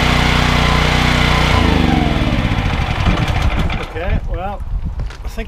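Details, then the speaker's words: Briggs & Stratton XR2100 14 hp engine driving a 21 L/min pressure-washer pump. Starts easily and holds speed without dying when the trigger is pulled: normal running under load. "speaks for itself you could hear ie how easy the engine was to start and you can you see on the pressure gears out it's certainly not dying when you pull the trigger"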